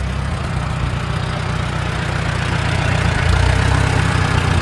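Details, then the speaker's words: Antique Farmall tractor with new Chinese carburetor not yet adjusted: low, uneven chuffing idle that stumbles and surges, then dies; rough running from carburetor adjustment. "yeah carby definitely ain't adjusted right"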